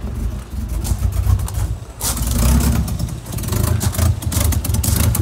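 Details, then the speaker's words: R33 Nissan Skyline after a bigger turbo and reprofiled injectors, running on the base map before rolling-road tuning: lumpy, uneven low burble surging irregularly like a tractor or Subaru; owner suspects an exhaust leak, others suggested the mass airflow sensor. "okay now this thing sounds like a tractor i think it's got a bit of an exhaust leak that can't be good"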